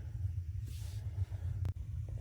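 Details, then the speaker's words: Gas hot water tank after anode rod replacement, inspection port refitted, set to hot: steady soft low roar with no popping or flutter; burner lit and heating water normally. "Okay, so I put the inspection port back on. I can hear the flames in there. So they're heating up the water."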